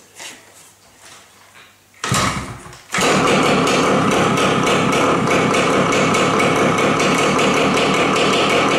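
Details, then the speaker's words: 18-year-old Yamaha RT100 two-stroke, cold start with no exhaust muffler fitted: engine catches and settles into a loud, crackly, rapid idle, clean and even; normal cold start, open exhaust. "At the moment, I do not even have anything on it. So you'll hear it. Should sound pretty good, and then I'll put these on and show you."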